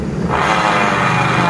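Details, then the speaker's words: 2020-2021 Honda Beat DX scooter CVT with the rear wheel spun by hand: loud, steady rushing grind that is smooth with the pulley removed and loud once it is refitted. The inner pulley bearing is worn; the front seal is also leaking. "Ini ya teman-teman, pada bagian laher puli yang ini biasanya yang sering terjadi rusak."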